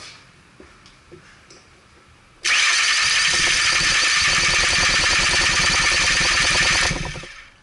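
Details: 2002 Mercury Sable: starter cranks for about four seconds and the engine never catches, then winds down; spark remains but injector pulse drops; excessive exhaust back pressure from a clogged catalytic converter.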